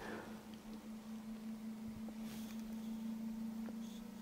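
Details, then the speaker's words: ALLPOWERS S2000 Pro power station (1500Wh, 2400W), unplugged from charging and powering a coffee maker brewing two cups: a steady, low fan hum that rises slightly in speed as the load comes on. Normal fan behaviour. "Ah, il augmente un peu en vitesse là. Ça y est, c'est bon."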